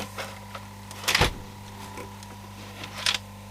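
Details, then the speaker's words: Akai CS-M02 cassette deck: steady motor hum with short sharp rattles; something loose, perhaps a coin or screw, suspected inside under the mechanism below the buttons. "something's definitely making weird noises could that be sounds like it's got a coin or something listen there"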